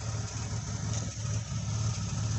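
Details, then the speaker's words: Low, steady idle with a faint lope from an EL Falcon wagon engine after distributor, aux drive shaft and timing chain work and fuel system repair; slight loping after long running on LPG, runs smoothly, about to switch to petrol. "okay so she's running I'll say she I'll call it other names when it's not working properly but uh we're running nice and smooth now well you can hear it's kind of loping ever so slightly but it always does that when I've been running on LPG for a long time"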